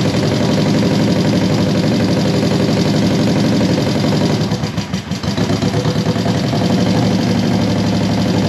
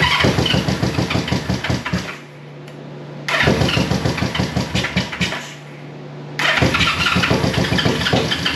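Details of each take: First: 1973 Honda CB350G twin on new Mikuni VM28 carbs: steady fast idle that dips briefly and recovers; basically sound, needs a little tweaking, owner thinks not enough fuel was coming through at first. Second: 1973 Honda CB350G twin, cold first start after fitting Mikuni VM28 carbs, auxiliary fuel tank: quick bursts of starter cranking with sharp pops on both cylinders as fuel arrives; close to catching.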